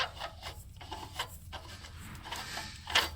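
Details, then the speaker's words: Toyota Highlander Hybrid 3MZ-FE V6, water pump pulley turned by hand: dry, rough rasping grind in uneven strokes; huge play in pulley, completely failed water pump bearing, timing belt slid over it creating hot spot, belt worn narrow. "completely fa bearing and that's what I heard when I very briefly started up this engine when it came to my shop"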